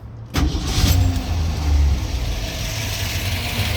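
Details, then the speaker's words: 1970 Ford Mustang Mach 1 with freshly built V8 with solid lifters and mild cam: starts right away on one touch of the key, settling into a deep lumpy steady idle with audible lifters and a little shake; normal start and idle. "Seems to run really well. Like I said, you can hear those solid lifters. A little bit of a shake to it."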